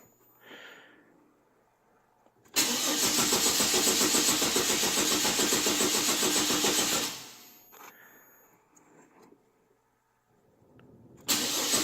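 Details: 2008 Chevy Trailblazer that doesn't run. Starter cranks in an even fast rhythm for about four seconds with no catch, then again. No-start from fuel pump failure.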